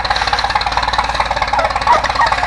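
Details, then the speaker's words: Farmall M tractor engine: steady even firing pulses, about nine a second, with no misses or extra knocks; sounds like it's running all right. "You should hear that? Sounds like it's running all right."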